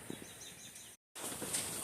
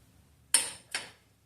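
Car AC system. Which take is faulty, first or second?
first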